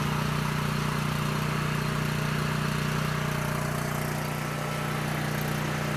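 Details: Coleman Powermate 6560 generator, after the fix for running only on choke (carburetor gaskets had been in the wrong order; oil was overfull and smelled of gas), under load: steady engine drone, firm low hum, constant speed, no surging; normal running.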